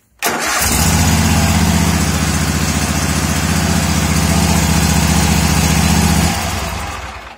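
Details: 2016 Toro TimeCutter zero-turn mower with the failed brake controller bypassed (starter solenoid wires shorted): brief crank, then catches and settles into an even, steady idle for about five seconds before shutting off; running normally.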